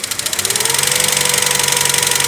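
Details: Chevrolet Lacetti at idle, valve cover area: fast even metallic ticking about twenty taps a second; hydraulic lifters, reportedly already replaced, with black sludged oil and carbon deposits. Hydraulic lifter tick.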